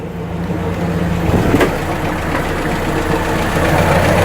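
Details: Warm Atomic 4 inboard boat engine after its head gasket was replaced, at 40–45 psi oil pressure; a steady, even, deep rumble with no knocks or misses, and it responds nicely. A manifold gasket is still leaking.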